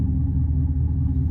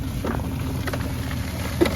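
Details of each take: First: Old SaltDogg SHPE2000-series auger salter with J-code jam, after freeing the auger by wrench: deep labouring rumble with uneven drone, no free-running note; auger motor still struggling against salt chunks. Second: SaltDogg SHPE2000 auger salter after clearing chunks jammed against the spinner blade: even low rumble with light ticks from salt passing through, no straining or stalling; normal auger running.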